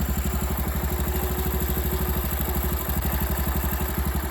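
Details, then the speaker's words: Honda Super Cub after replacing the cam chain tensioner roller with a new one (clutch and crank checked fine): steady, even low putter about four beats a second with no clicking on top; the earlier ticking noise is gone, idle now clean. "ちょっと音比べてみる。なんかカチカチずっと言ってないこれ。"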